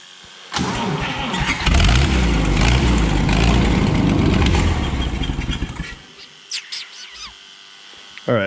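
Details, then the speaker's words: Wheel Horse Power Horse 4WD tractor with Ottawa loader, long-sitting auction find: starter churns evenly about four turns a second but never fires; no spark earlier, then fuel issue found — fuel pump wired backwards, pumping air into the tank. "right so we found our problem uh somebody hooked up the fuel pump backwards so you got a steal on this thing because it wouldn't run because the fuel pump was backwards"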